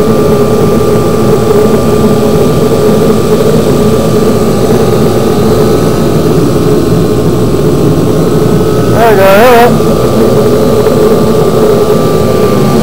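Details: Kerosene forced-air shop heater with previously seized fan freed up: steady roaring burner with even fan hum, no knocks or rattles; heater firing and running smoothly after hesitant start.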